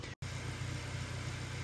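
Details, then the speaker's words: 2018 Honda Accord 1.5 after replacing the faulty cylinder 4 fuel injector that caused an idle misfire: low, even idle hum from the exhaust, steady beat, no stumbles or skips, unlike the earlier skipping and popping. Normal idle. "Watching it run here, we have no misfires on any of the cylinders. Sounds good out the exhaust. Nice and even tone."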